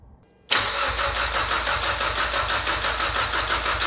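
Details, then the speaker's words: Mitsubishi Evo X with brand-new engine, first start attempt after over two years; even cranking about three compressions a second, no firing with fuel pump relay pulled, no knocks or scrapes. "engine sounds super healthy we got great oil pressure even on crank so I'm good with that"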